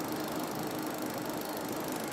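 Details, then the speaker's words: Fuel injector pulsed on the bench by a homemade ignition coil and injector tester: fast, even ticking buzz of normal opening and closing. "Au acioná-lo, nós vamos ouvir o barulhinho. Aqui está o barulhinho"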